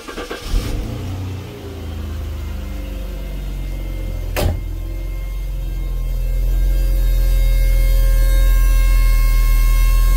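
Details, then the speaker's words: 1988 Jaguar XJS 3.6 litre, Hong Kong import, running after a fuel job with no leaks found: a deep, steady engine drone with a low hum slowly building, noisier than it should be; cause unknown. "a bit noisy it shouldn't be I'm hoping that's going to quieten down a bit weird that shouldn't make that noise I don't know why that's making that noise"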